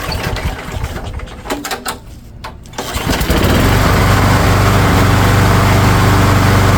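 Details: Craftsman lawn mower after a spring tune-up with new spark plug, new air filter and fresh oil, primed three times: a few quiet pulls, catches near three seconds, then a steady, even drone; healthy running.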